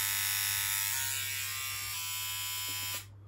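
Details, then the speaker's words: BMW E30 rally build, fuel pump relay disconnected, engine not running, injector and coil test: fast, even high-pitched buzzing chatter that cuts off cleanly; fuel injectors clicking, working, while a non-start is traced to a suspected crank sensor. "i'm gonna test the coils i don't know if you'll be able to hear this that sounds like that's working injectors definitely working"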